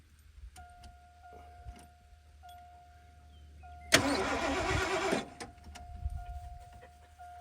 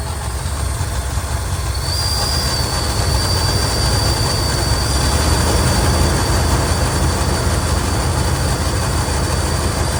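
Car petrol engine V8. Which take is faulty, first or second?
second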